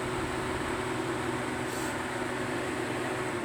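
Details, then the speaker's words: Volkswagen Golf 2 that overheats and stalls because its two-speed radiator fan won't switch on; fan powered directly via jumper wires, ignition off; steady even whoosh with constant low hum, no rattle or grinding, running cleanly on high speed. "Це перша скорость це друга скорость"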